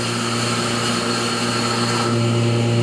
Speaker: once you close the exposure unit you turned off the vacuum switch which will make a vacuum in here that will hold the screen tight down to the place okay so you turn it on and you listen for with the sound changes listen see it suctioning